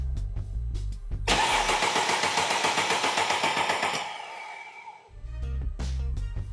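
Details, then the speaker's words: Mercedes-Benz no-start diagnosis, key in position 2 with 12.3 V and power applied to relay circuit 87: starter spins the engine at about four pulses a second but it never catches; starter confirmed fine. "And it doesn't."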